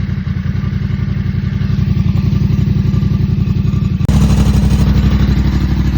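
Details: 2024 Yamaha MT-07 motorcycle engine at idle: fast uneven rattle over the low pulsing exhaust note; owner does not know the cause.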